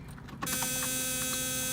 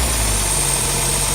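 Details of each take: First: 1971 Mercedes-Benz 280SL, 85,900 miles, second start during a pre-purchase inspection: about two seconds of harsh metallic grinding while cranking before the engine catches, repeatable; suspected starter grinding against the flywheel, not confirmed. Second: 1971 Mercedes-Benz 280SL during pre-purchase inspection, engine still cold, light revs only: smooth, even note with no knocks or misses; a little smoke but no blow-by felt; normal running, cold engine.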